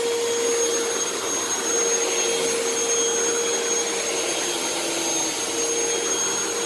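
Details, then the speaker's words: Vacuum running with brush roll engaged; steady motor roar with a mid-pitched squeal coming and going, brush making a funny noise; owner suspects it needs a new belt. "actually the brush is making kind of a funny noise so i actually might have to put a new belt on this now that i think about it"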